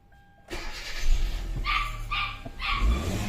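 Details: Kia Soul that had no click, no crank, no start: after the starter was tapped and the intake hose refitted, the starter engages and the engine catches almost straight away into a low steady rumble, a dog barking nearby.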